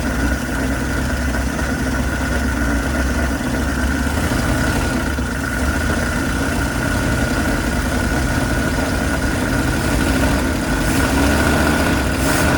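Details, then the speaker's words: 1979 Dodge B200 Maxivan V8, abandoned van being revived: low lumpy, uneven idle with no steady rhythm; running rough, owner wonders if it is a misfire. "it sounds good I can't tell it sounds very strange to me but it's running and does it sound like a misfire sounds sounds kind of funky"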